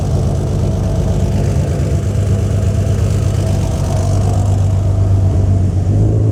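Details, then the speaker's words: Turbo Barra swap in an R33 Skyline, first start, running briefly on a jump pack with no radiator, alternator or drive belt; loud deep throaty note revving smoothly through a straight-through exhaust with no muffler. "it's louder than I thought it was going to be which uh take it as you will I don't think that's necessarily the best thing because it is a straight car so I might have to add a muffler in again"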